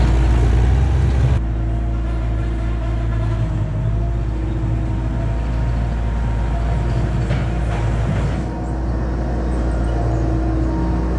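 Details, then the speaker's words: 1999 Bobcat 864 tracked skid steer, trying to climb a hill: steady mid-pitched whine over labouring diesel drone while barely creeping; right-side hydraulic drive motor weak, worse when hot, hydraulic warning light; bad drive motor, later replaced with rebuilt unit. "if you go to turn to the right or go up a hill or even get a scoop the one drive motor just whines and barely won't even move"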